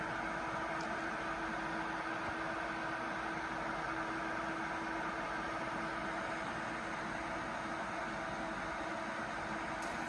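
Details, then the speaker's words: ACMEMATION 120mm 4-pin PWM PC case fan (2700 RPM max) running alone at full speed, strong enough to move paper: steady rushing airflow with an even hum and no rattle or scrape; normal fan. "And finally at full speed. Oh yeah, it's really moving the paper now."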